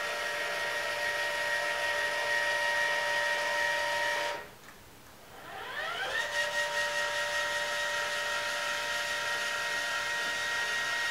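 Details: Celestron CGEM telescope mount slewing in RA after a DIY hypertune with new bearings: a steady motor whine drops out briefly, then sweeps back up to pitch; somewhat quieter overall, but it gets loud at points, possibly gear binding or stiction.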